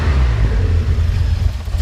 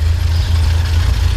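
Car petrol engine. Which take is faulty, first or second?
first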